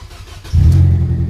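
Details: Nissan Almera with immobilizer no-start, after programming; quiet moment, then engine catches at once and settles into a smooth steady low idle, immobilizer light gone: normal start.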